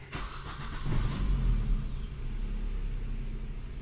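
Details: 2005 Vauxhall Astra G 1.6 Twin Port petrol cranks, catches and settles into a low, uneven lumpy idle; multiple fault codes, low power, fans running continuously, bank 2 sensor reading lean.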